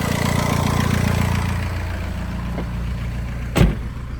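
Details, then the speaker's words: Car A/C compressor clutch pulley bearing (part 35BD219DUK) whines at steady idle, a faint constant whine over the engine hum that is getting louder over time; grease did not stop it. "so um you hear the noise and uh it come from the compressor I put grease in there so I thought it would go away"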